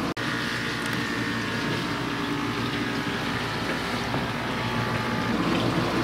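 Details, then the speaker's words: Kenmore Ultra Wash dishwasher after repair and reassembly: steady watery hum with splashing, pump and grinder running smoothly, the earlier loud noise now gone. "so I can hear the grinder going but I don't hear that loud noise anymore"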